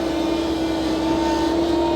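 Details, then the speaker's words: Diesel engine whines only when hot, not on cold start: steady mid-pitched whine over the running note; pump pressure checked OK on gauge, owner suspects thinned hot oil at the pump. Cause unconfirmed. "จะเป็นเพราะเนี่ยเวลาที่สตาร์ทเครื่องขึ้นใหม่ไม่มีเสียงครับเวลาที่ร้อนแล้วมีเสียงมีเสียงหอนครับ"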